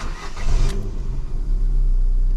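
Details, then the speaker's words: Ford Fiesta 1.25 Zetec after work to cure a misfire: engine fires up and settles into smooth, even run with steady revs and no stumbles or skipped beats; misfire fixed, idle and rev normal. "we ain't got to missfire let's give her a little rev oh listen to that I think by the sounds of it we sorted it"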